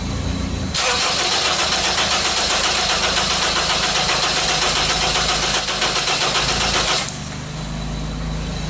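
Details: 2001/2002 Honda CR-V that starts then cuts off, code P0341 CMP/CKP incorrect phase: steady starter churn for about six seconds without catching, spark present. It cranks but won't start; cause suspected, not confirmed.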